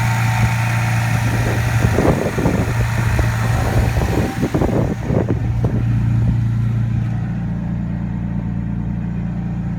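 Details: 1995 Toyota Supra starting after 7 years unused, following an oil change and new battery: choppy cranking and catching for several seconds, then a steady, even low idle hum; normal start and idle.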